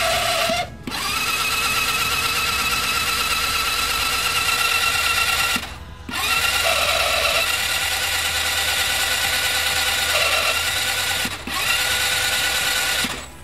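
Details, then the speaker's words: Italika TRN150 scooter delivered with almost no oil: starter spins the engine fast and evenly in bursts with no compression pulses; sounded like lost compression or jumped timing chain, later found camshaft not driven. "Como si se hubiera chispado la cadena de distribución como eh se oye así verdad más o menos pero no eso es la compresión"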